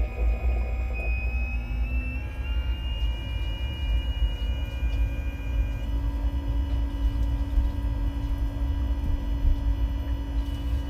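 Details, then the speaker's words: Newly installed Hooker pump with new sea chest feeding a boat's air-conditioning manifold, running after start-up: deep constant rumble and steady hum with water rushing; healthy, moving plenty of flow. "I hear water rushing"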